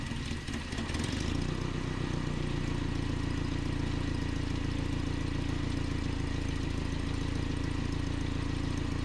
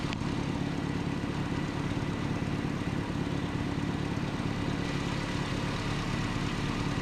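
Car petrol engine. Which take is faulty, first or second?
first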